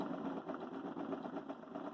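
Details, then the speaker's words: Bell & Howell 1585 16mm projector running well under speed with slow wobbling chatter and soft slap several times a second, film loop apparently catching; slow running with rhythmic slapping. "It's going very slow, though. That's the soundtrack."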